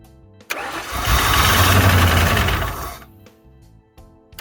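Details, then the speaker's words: Fox body Ford Mustang project car after sitting, gauge reads full but no fuel smell, fuel pump heard: cranks at a steady even beat about four per second but never fires; owner suspects it is out of gas. "I hear the fuel pump so I think it's out of gas"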